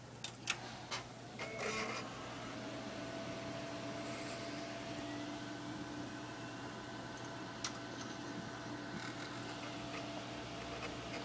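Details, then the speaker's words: HP Pavilion Elite m9500 desktop with the case open: a few clicks at switch-on, then a steady fan hum with a faint whine, fans faster than usual, no beeps and no display. Swapping graphics cards and trying onboard graphics failed; the owner suspects the motherboard. "and see nothing appears and the fans are going a little faster than [Music] usual"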